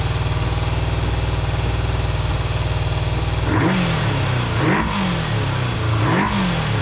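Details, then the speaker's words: Kawasaki GPz400R track bike: uneven sputtering idle and three throttle blips that rise and sag without crisp pickup, spitting rather than clearly misfiring; owner suspects fuel sitting in the tank for a couple of years, possibly plugs and HT leads. "so you can hear it sort of um misfiring it i don't know whether it's misfiring it's just spitting a bit"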